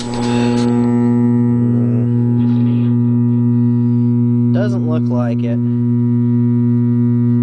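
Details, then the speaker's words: Lafayette tube radio: a steady low hum sits under everything and doesn't change. Mains hum, suspected to need a filter capacitor. "it just sounds like it just needs a filter capacitor"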